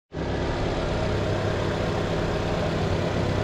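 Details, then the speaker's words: Nissan Teana J32 that had rough, shaking idle and stalling, after fixing a leaking ignition coil gasket, temporarily sealed with gasket glue: steady, even, quiet idle hum with no hunting, stumble or shake; normal idle. "ก็โอเคครับนะเงียบดีสนิทดีนะครับนะเครื่องไม่สั่นไม่อะไรแล้วนะครับ"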